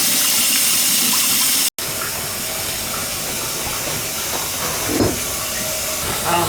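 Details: Toilet that was filling slowly, after supply reconnection and water turned on with no leak: steady airy hiss of water rushing through the valve as the tank refills, even and uninterrupted, so normal fill valve refilling.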